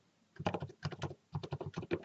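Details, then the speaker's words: Keyboard with Cherry MX Silent switches after fitting switch films: soft, muffled key presses in quick bursts with no sharp tick or rattle; the films cured the ticking. "my keyboard now has completely switch filmed switches in it and there's no more ticking just"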